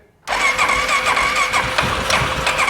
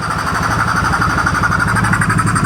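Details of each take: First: 2014 Polaris Sportsman ATV left outside for years, with new battery, new ignition switch, throttle body refitted and fresh fuel: starter whirs steadily and the engine turns evenly but never catches. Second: 2014 Polaris Sportsman ATV left sitting for years after being reported as a blown motor, now with a new battery and replaced ignition switch. Steady single-cylinder thump at a quick even idle with regular exhaust pulses and no knocks: normal idle.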